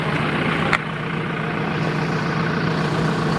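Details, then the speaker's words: Rebuilt Isuzu Panther diesel (originally white smoke) after a road test at operating temperature with a thermostat fitted: steady, even idle, no knocks or misses, no visible exhaust smoke at idle; healthy. "bagus ini seperti ini mantap asap knalpot gak ada pada kondisi stasioner ya"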